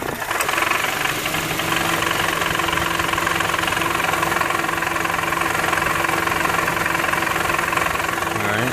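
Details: 2008 Honda Civic (8th gen) in park at idle with the A/C compressor kicked on: steady idle with a fast, slightly uneven metallic rattle from the engine area. Exhaust heat shields were checked and fine, and a loose moving part was found.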